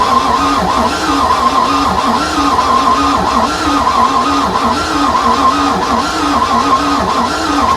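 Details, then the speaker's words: Free project boat engine with rust found inside, cranking after the oil pressure sending unit was swapped: the starter grinds with an uneven, loping beat of about 47 slow pulses a minute and never catches. The owner attributes the loping to compression issues; oil pressure is building. "And uh yeah, the thing definitely has some loping going on, which means it's got some compression issues, which is to be expected for all that rust that we had in there."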